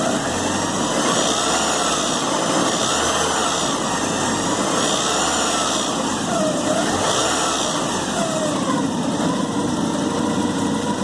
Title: 1986 Porsche 944 NA - Rattling Sound in Engine